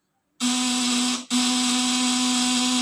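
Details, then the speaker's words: Fish-shocker inverter tested with 200 W lamp load: steady, even mid-pitched buzz with brief dip, sounding loaded; output around 200 watts, normal inverter hum under load. "Tuh, suaranya seperti ada beban di lampu 200 nih."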